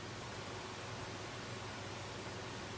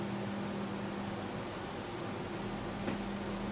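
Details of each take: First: So that's what the system sounds like without the Corsair fans. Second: Gaming PC with case fans running: constant whooshing airflow with a low steady hum that never changes; the fans are loud. The camera's built-in compressor makes it sound louder.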